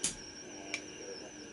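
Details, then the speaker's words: Homebuilt 80/40/20m SSB SDR phasing rig direct conversion receiver, tuned off signal through the Teensy audio path: thin steady high-pitched squeal over faint hiss; internal noise, difference heard when bypassing the Teensy. "You can just hear that squealing noise, which is really interesting."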